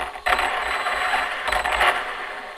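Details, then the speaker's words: Arrma Kraton 4S RC truck, just unplugged and replugged. Steering works, but the motor whirs and cuts in and out in short surges at steady throttle. Owner unsure whether motor or ESC; later confirmed as a bad ESC. "steering's working and now it's kind of working but you can see it's still got kind of got this weird stutter"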